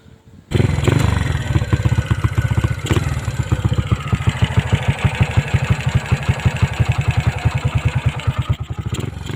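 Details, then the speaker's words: 2004 Honda XRM 110 with a 53 mm block, No.1 performance cam, big valves, 28 mm carb, clutch conversion and stock coil: starts into a lumpy idle with a sharp tick on every beat; loud valvetrain ticking from the cam. "so yang ingay na naririnig nio is yung stage 1 malakas talaga yung ano stage k sa stage 2"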